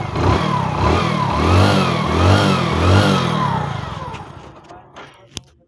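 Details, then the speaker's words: Hero HF Deluxe single-cylinder bike after fixing timing chain noise (tappets already checked fine); fires up and revs in smooth sweeps with no clicking from the chain side; normal running. "तो दोस्तों, हमारी समस्या अब हल हो गई है।"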